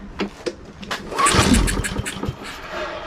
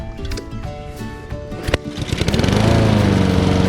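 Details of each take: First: Husqvarna AWD push mower stored in a barn three years, recoil pulls with fuel poured in: spins and gives a brief sputter that dies; cranks but won't start, suspected not getting fuel, carburetor cleaning next. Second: Husqvarna AWD self-propelled push mower revived after 3 years abandoned in a barn, new carburetor fitted: rough starting clatter settles into steady even single-cylinder drone, holds speed without surging; runs properly with good power.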